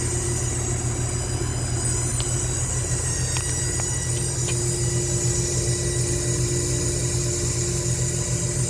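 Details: Goodman AC condenser running with a thin, constant squeal over the fan and compressor drone. It stops when the coil is wetted and cooled while the fan stays dry, so the fan is ruled out; valving or compressor suspected.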